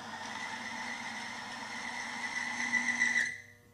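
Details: Timken bearing friction test run on a competitor OEM (GM) power steering fluid: a steady high whistle over a hum rises and grows rougher under load before stopping, showing the lubricant film breaking down and causing bearing friction.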